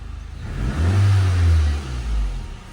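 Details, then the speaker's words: Nissan Sentra, restarted after fitting a different replacement ignition coil; earlier coil, suspected incompatible, set ignition signal primary check engine code: catches and revs up smoothly in a deep even swell, settles cleanly with no misfire. "So napaandar na natin mga boss."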